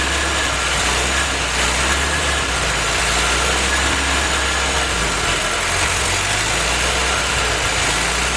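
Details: Willys F-head engine for a snow blower jeep, freshly built, first run on newly fitted Weber carburetor, 180 thermostat; steady even idle with smooth unbroken beat, no knocks or stumbles; normal idle.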